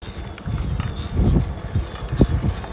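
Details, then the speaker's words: Bicycle with a three-piece crankset: dull creaks and thumps with each pedal stroke from a bottom bracket fouled with grit and dried grease, fixed by cleaning and re-greasing. "That's the sound of a super clapped bike. But good news because I'm here to show you how to fix it."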